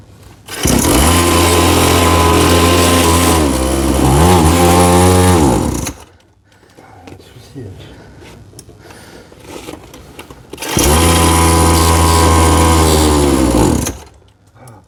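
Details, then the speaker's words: Small cheap Chinese kids' quad after carburetor work: fast high idle that sags, then the engine cuts out; idle too high and won't hold, owner suspects the idle screw needs loosening further. "Mais bon, voilà, ça tient pas bien ralenti. Ah, il coupe, hein."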